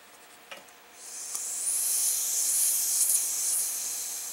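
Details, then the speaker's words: Coleman stove fuel tank pressurized with about 30 pumps: a quiet start, then sustained high hiss as pressurized air bleeds back out the pump hole; faulty check valve not sealing. "hear that that tells me that we have a faulty check valve because you should never get air pushing out of this little hole back against your thumb"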